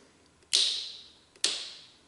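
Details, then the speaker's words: 1995 Honda Fourtrax ATV with a no-start: two sharp clicks about a second apart with no starter spin. The starter solenoid closes but passes no battery voltage (13 V on the battery side), so the solenoid is bad. "Can you see that? We're not getting any battery voltage through this. So that is pointing me in the direction that this starting solenoid is bad."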